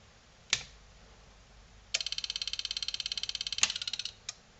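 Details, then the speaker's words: Selco Genesis 140 A inverter arc/TIG welder under repair, on its first power-up (shorted transformer primary suspected): a sharp snap, then a rapid high-pitched chattering burst for about two seconds; the output stage oscillates uncontrolled. "cool well that's interesting I heard it well you probably heard it too there was an oscillation"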